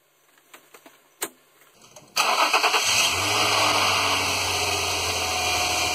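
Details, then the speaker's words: 2006 Infiniti G35 3.5 V6 after valve cover gasket replacement, spark plug change and oil change: short crank, clean catch, then a settled, even idle with no ticking or stumbling; healthy start and idle. "Alright, I'm going to start it up."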